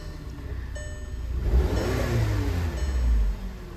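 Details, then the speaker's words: VW Tiguan after port cleaning and new injectors, once misfiring on cylinder 1 (EPC light, running on 3 cylinders): it revs and settles evenly, the misfire gone after swapping in plugs and injectors from a spare Tiguan; owner suspects a bad coil or plug. "I swapped out all the spark plugs and injectors from her car into this one, and now we're golden."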